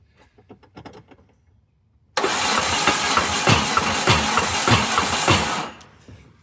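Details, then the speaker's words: Peugeot 205 XR, out of storage for years, cranking on compression test of cylinder three: uneven, lumpy beat and clunky noise. Number three reads only 80 against 120 on number two; owner suspects a failed small end on that con rod, not the big end. "and just as expected we're getting 80 Max I think number three cylinder is TOS sounds like a small end's gone maybe don't think it's big end it'd be more knocky but it's more clunky"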